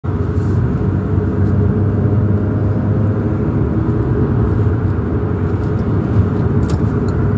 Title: Sports car loud rattling and making pop pop sounds like the engine is about to fall out